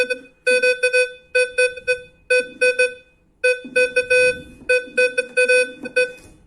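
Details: Gold metal detector with volume at maximum, sweeping a gold nugget: clear mid-pitched beeps in quick clusters of two or three repeating each second; normal target response.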